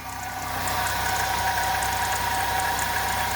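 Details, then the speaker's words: 2006 Pontiac Grand Prix 3.8L V6 (3800 series) idling with a steady whirring hum from a shot, leaking water pump bearing; pump at risk of seizing, about to be replaced. "you can kind of Hear That worring Sound that's a bearing and the bearing's shot so if this pump seizes up it's going to be bad"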